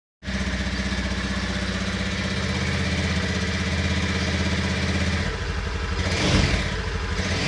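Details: Honda Beat FI scooter engine running with a coarse, droning hum and a faint whistle; the cause was worn crankshaft bearings, which were replaced.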